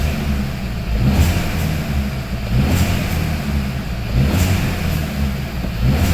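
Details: Hyundai i30 / Kia Ceed 1.4 T-GDI engine revved in slow blips; a rough metallic rattle swells with each rise in revs, source not pinned down.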